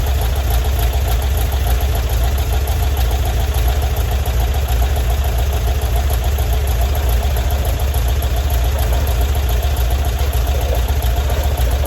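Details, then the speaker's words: 1978 VW Bus 2.0L air-cooled engine, rebuilt and converted from fuel injection to carburetor with a new carb kit, valves checked, compression 135–148, choke on: steady low chuffing idle with no knock or tick; normal idle. "Like she's happy. Choke's on. Valves have been checked. They're running pretty good. Sounds good."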